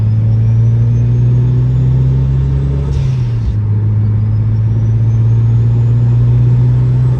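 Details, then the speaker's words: Mitsubishi Evo X with new turbo and 251R mod, no exhaust leak, on first test drive: strong steady pull, engine note climbing smoothly through the gears with a brief break at shifts, blow-off valve, no leak hiss; healthy. "this turbo sounds really really good um it does have the 251 R mod so it does sound very loud and the blowoff valve sounds really good too big upgrade for my previous setup of course"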